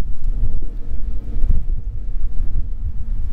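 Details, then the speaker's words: Truck braking to a stop after treatment with CRC Disc Brake Quiet; it previously squealed badly when slowing for stops: only low road rumble and wind, zero squeal. Quiet brakes. "This is where it would happen, just like right here, and nothing. One more time. See, zero squeals, guys."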